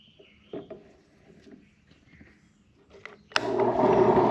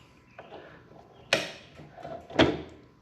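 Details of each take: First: Restored HDC DPMINI15 mini drill press, likely early 2000s, stored about 10 years, anemic motor, belt on slowest speed, drilling a large hole: motor holds steady even hum under load, no knocks or grinding; normal drilling. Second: Restored HDC DPMINI15 mini drill press, likely early 2000s, stored about 10 years: two sharp clicks about a second apart as the quill bottoms out, the return spring mechanism popping out of its seat; quill return spring clicking.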